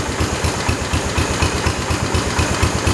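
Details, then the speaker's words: 1968 Kohler-swapped 112 tractor after throttle adjustment: even, steady single-cylinder thump about four beats a second with no misses or stumbles, said to sound like the '73 and run really good; normal idle. "that sounds just like the 73 think I'm gonna leave it like that sound that actually runs really good"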